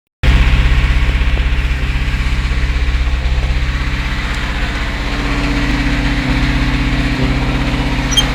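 Idling engine with a rapid, fairly regular low knock, about three per second, riding over the idle. The internal knock's cause is unclear.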